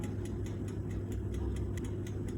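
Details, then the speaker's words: Bajaj 45-litre OTG oven in baking mode at 170°C, bottom rod only on, near end of 15-minute timer: light, even ticks about four or five per second over a steady low hum; normal timer ticking, nothing to worry about. "चालू असताना थोडाफार आवाज येतच राहतो त्याचं असं काही काळजी घेण्यासारखं कारण नाहीये"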